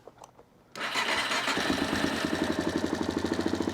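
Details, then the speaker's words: Engine start right after fitting a new wire-type hose clamp on the lower radiator hose (upper already done); it catches and settles into an even putter of about four beats a second with no misfire, a clean, healthy start with no issues. "there we go. No issues with that. I love it."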